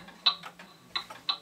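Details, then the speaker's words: Pendulum clock with an amplifier on the case: ticks in uneven pairs, long gap then short, like a heartbeat; the clock is out of beat and will stop, fixed by shifting the bottom until ticks are even. "now if you hear it ticking like that the clock is going to stop notice it sounds sort of like a heartbeat"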